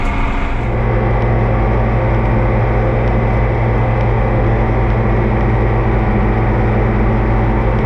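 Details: Oliver 2255 front-wheel-assist tractor idling on a test run after an oil service of engine, transfer case, front axle, rear end and hydraulics: a steady, smooth low diesel firing beat with no knocks or rattles. Normal idle; owner says everything done is fine.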